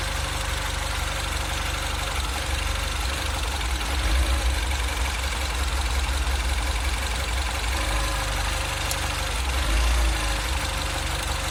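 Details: 2008 Mini Cooper S (N14) at idle: low rumble that swells and dips every few seconds, hunting rather than steady; rough surging idle, cause unknown.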